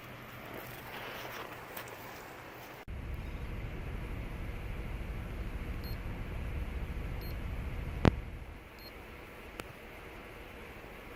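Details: 2007 Saturn Vue misfire, codes P0304, P0300, P0302; plugs replaced, coils swapped, compression and fuel pressure good, #4 spark fine; low idle with loose, uneven beat and occasional stumble; cause: bad #4 fuel injector.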